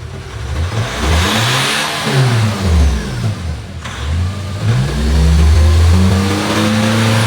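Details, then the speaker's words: 2019 Nissan Terra automatic, reportedly flood-exposed, revved to about 4,000 rpm: lumpy, stumbling beat with the engine shaking the door; misfiring yet now has power, injector problem suspected, injectors to be pulled and checked. "so yun mga sir Ayan nanginginig pati yung pintuan sup palyado siya pero ngayon may power"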